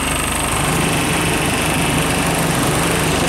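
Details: Ice-making milk tank refrigeration system on robot milker, after oil sight glass failure repair, leak check, vacuum and about 2.5 kg R134a charge in cold weather, drier not replaced; loud steady drone, even low throb, no knocking; compressor running normally.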